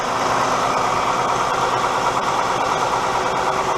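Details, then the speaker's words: 2015 Dodge Grand Caravan 3.6 L V6 after oil and filter change, level ground, no leaks: smooth, even idle with steady hum, not rough, no ticking or clacking; normal idle with correct oil level. "it sounds good not running super rough no clacking no nothing means you have the correct amount of oil in it"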